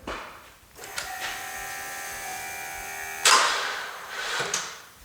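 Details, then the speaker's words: 2013 Chevy Cruze parked for over a year, defrosted indoors from -30°C, with a fully charged battery plus a booster pack. The starter whirs slowly with a strained, dragging tone and won't catch: a seized alternator is loading the belt. "okay so as you can see it's obviously having a hard time turning over the batteries got full juice"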